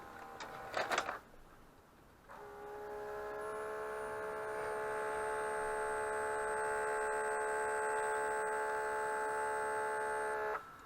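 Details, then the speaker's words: Mitsubishi MS-11V VCR stored for years, rubber belts replaced; after reinserting the tape, loading clicks then a steady whirring for eight seconds with only the head drum spinning, no reel or capstan movement, and the tape is ejected. "still nothing see it turned a little bit down then and then it spat itself back out again"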